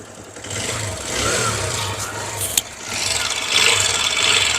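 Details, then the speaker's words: TVS Star City Plus 110cc BS6 motorcycle at normal start-up: loud, fast, rough metallic chatter over the idle; tappets reset repeatedly without fixing it, timing chain to be inspected; valvetrain noise. "Bike को यहां पे start कर देंगे back हम normal start कर लिया काफी ज्यादा साउंड ए रहा है"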